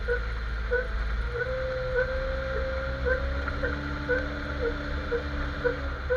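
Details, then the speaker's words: Jeep XJ while driving: a rubbery chirp repeats about twice a second with wheel rotation over low road rumble. Owner suspects the front axle shaft u-joint. "okay after thinking a law came to a conclusion maybe this you join is the one making noise it sounds like a rubber noise but I'm not sure"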